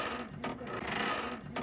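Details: Mahindra Thar rear door: a dry, rasping creak like an old door returns about once a second as it swings; only the rear door does it, not the front two. Owner first suspected the hinges and says they need not be replaced.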